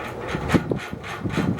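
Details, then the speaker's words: c.1990 FASCO Great Room 56-inch ceiling fan, 1.2 A Fasco motor, on high speed: rhythmic rasping scrape about three times a second over the motor hum; something is rubbing on the switch housing and needs fixing. "now high speed some things that definitely rubbing on the switch housing that i have to fix which is why it's making that noise"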